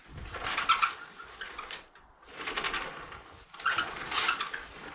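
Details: Vinyl sliding window before lubrication with WD-40 multi-use product; three slides with sharp high chirps and squeaks as the dry sash rubs in its track, the noise to be eliminated.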